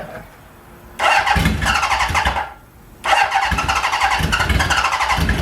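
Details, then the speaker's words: 1977 Honda Hondamatic barn-find motorcycle, choke on, with fuel flowing: two bursts of rough cranking with uneven sputtering pops that never settle into a steady run. Cranks but won't start. "Make sure I got fuel going through here. That's a good sign. She's trying. She really is trying."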